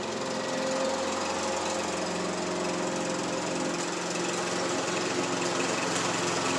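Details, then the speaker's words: MTD push mower repowered with a matching overhead-valve engine, cutting grass: the small single-cylinder buzzes at a steady speed with an even beat, dipping slightly as grass loads the blade. Normal running under load; an oil leak still needs fixing. "I might we'll try it all in the grass here and see what it does okay and see how good it cuts"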